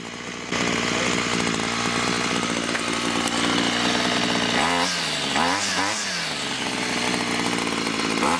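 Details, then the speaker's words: Ryobi string trimmer after carburetor replacement (old primer bulb cracked, fuel lines disintegrated), idle screw fine-tuned: steady buzzing idle, then quick throttle blips returning cleanly without stalling; running right. "once I got it started with my hand off the trigger I adjusted the idle screw a little bit just to fine-tune it it should idle without it going too fast or too slow and stalling"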